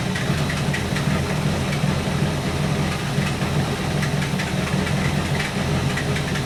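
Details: 1964 Buick Electra 225 401 Nailhead V8, warmed up, idling after Carter AFB rebuild; lumpy beat stumbling and dropping out as dwell dips, then recovering. Intermittent ignition misfire suspected, unconfirmed.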